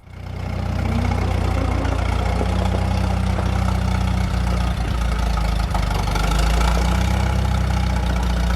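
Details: 1947 Chrysler being revived after sitting: old engine settles into a steady, even low idle with a soft regular beat, no knocks or misses; good runner, though clutch may be seized.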